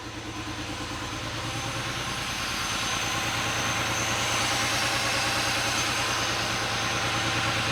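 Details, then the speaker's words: Rebuilt Porsche 911 Carrera engine just after first start: uneven, lumpy idle with a regular stumble about three pulses a second; cylinder 5 not firing, its injector silent on the stethoscope and found clogged. "It's running. It's running, but it sounds like it's not running on all the cylinders. And I listened to the fuel injectors, and sure enough, number 5 is not firing."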